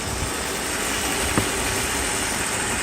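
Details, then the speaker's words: 1994 Mercedes S420 V8 after misfire repair, idling late at night: even, steady hum with no skips or stumbles; a can stands upright on the engine cover, showing it no longer misfires. "So the engine is running. This is 94 S420. So now I want to show you that the engine is not misfiring anymore."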